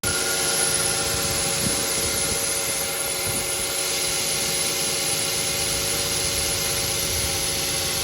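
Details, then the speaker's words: Idling car engine with a steady high-pitched squeal from the accessory drive (serpentine) belt, indicating a fault in the belt system. "the sound emanates in from the engine in real time is a squealing sound the chirping sound was just for demonstration purposes built noise is a sign that something is inherently wrong with the accessory drive belt system"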